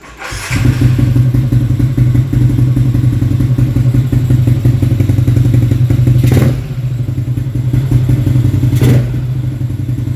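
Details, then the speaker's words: Motorcycle with battery replaced, run at 3 a.m. with rusty exhaust: even, low single-cylinder thrum with two short clean throttle blips; engine quiet as usual, normal running. "Bunyi enjin senyap lah, macam biasa lah."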